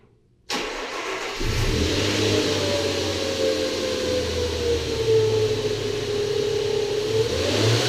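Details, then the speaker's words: Nissan VQ40DE petrol V6 (Xterra/Frontier/Pathfinder), starting: whirring whine over the engine that falls and rises with revs; worn secondary timing chain guides let the chain rub on the metal tensioners. "what ends up happening is the secondary timing chains have guides that sit on top of the tensioners, and they eventually wear down, and so your timing chain just rubs on top of the metal tensioner. It ends up having a very distinct sound."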